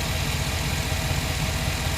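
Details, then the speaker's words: 2009 Chevy Silverado after fixing a whine first thought to be power steering, found via hose stethoscope on each pulley: steady low even idle with no whine or squeal from belt area; healthy. "listen to that no whining no nothing"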